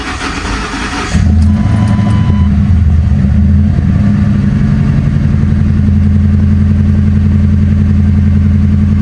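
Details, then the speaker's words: Mercury Grand Marquis 4.6L V8 after replacing leaking intake manifold, first start after priming: brief crank, catches and settles into smooth steady idle with even low rumble; separate noise is a bad blend door actuator; normal idle. "Let it run, get up to operating temperature. Uh check for any leaks. And we'll see what we got. Man, that thing purring LIKE A KITTEN."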